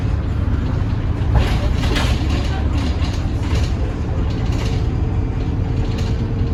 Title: *strange noise and sluggish* First Hadleigh 47525 on service 21